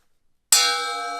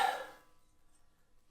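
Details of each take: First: CMT thin-kerf ripping blade on a table saw, struck once: bright, clear ring that fades slowly and evenly with no dull buzz. This is a normal, sound blade. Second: Table saw fitted with a Bosch thin-kerf blade meant for a cordless circular saw and not rated for this machine's revolutions: one sharp strike, then a bright bell-like ring with many high tones fading over three seconds. Wrong blade type, thin-kerf blade ring.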